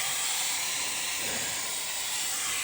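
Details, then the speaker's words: Minneapolis-Moline tractor: steady loud hiss of escaping steam with almost no engine sound beneath; upper radiator hose burst, coolant leak. "I'm pretty sure a hose just blew."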